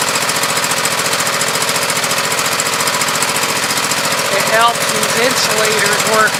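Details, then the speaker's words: Briggs & Stratton 24 hp V-twin on Husqvarna YTH2448 mower, 195 hours: uneven engine beat barely changes when that cylinder's plug wire is grounded, showing that cylinder dead or very weak. "as you can hear not much difference there's a hair different but the silliman is obviously very dead or low"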